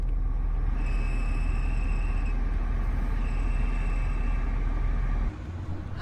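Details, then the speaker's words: 2008 BMW X5 E70 4.8i blower motor before replacement: faint high cricket-like chirp comes and goes over the steady fan rush; greased before but still squeaks, so the worn blower motor is being replaced. "It's lovely cricket's sound I've added grease before but it seems to be replaced after all"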